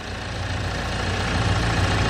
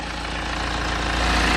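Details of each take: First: BMW N47 diesel at idle, with the engine vibrating and a fast buzzy rattle on top that smooths out when the engine cover is pressed down. Suspected engine cover issue: engine cover rattle. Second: BMW N47 diesel at idle after replacing the four engine cover mounts: even diesel clatter, steady and smooth, with no buzzing or rattling from the cover; previous vibration noise gone, normal idle.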